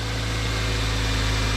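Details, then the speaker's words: Wrecked Toyota Corolla that had sat for a year, first start after replacing motor mounts and installing battery and air box, idling in a closed garage: steady low rumble with smooth even pulse, no knocks or stumbles; normal healthy idle. "like nothing it hasn't been sitting there for a year no way"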